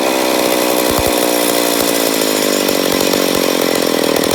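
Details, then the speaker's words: McCulloch Pro Mac 850 chainsaw, first start after rebuild, carb being adjusted: screaming steady high revs with thin hard edge, no drop-off; running lean, air leak suspected on flywheel side. "but there's a first fire so I know we got a little bit of air leak I'm a guess on the flywheel side"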